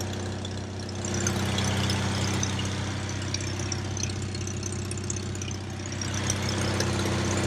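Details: Onan generator for an MC9 bus RV conversion, after reassembly: smooth, even low hum holding steady speed with no misses or surging; running normally.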